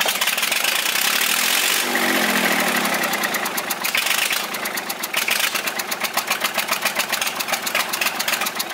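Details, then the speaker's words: Volvo 320 tractor, indirect-injection Perkins diesel, cold first start after repair, no glow plug, valve cover off: idle with a sharp regular puffing tick about four a second, an injector blowing past its seat. Injector seat blow-by. "avem un injector care suflă pe lângă el să vedem dacă nu l dăm jos să etanșă"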